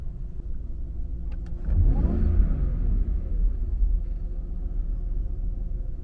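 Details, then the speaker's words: Jaguar XJR supercharged engine on the stock intake before the Mina Gallery intake is fitted, with an upgraded pulley spinning the supercharger faster so its whine is more pronounced. One quick rev from idle: deep rumble swelling with a rising whine, then settling; healthy. "And again, with the pulley that I have on here, my supercharger whine will be slightly more pronounced because it is spinning faster at a lower RPM, but should not be wildly off from what you guys have if you do not have the pulley on yours."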